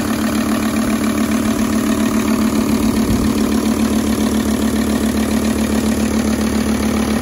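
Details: High-mileage Volvo S80 project car, no dashboard warning lights, starts first time every time and pulls well; loud, even idle with a steady low drone, no knocks or misses: normal idle.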